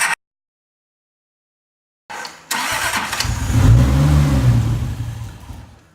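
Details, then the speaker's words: Toyota Supra, starter jumped directly to test cranking: silence, then the engine spins at about three turns a second and tries but never catches; the anti-theft detection system was locking out the start, and it seemed to want to start once bypassed. "you could hear it basically try to start and all of a sudden it wouldn't start so I got the theft detection system bypassed and then it seemed like the car wanted to start"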